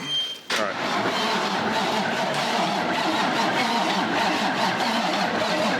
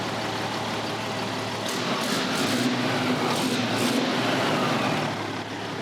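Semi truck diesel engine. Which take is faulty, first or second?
first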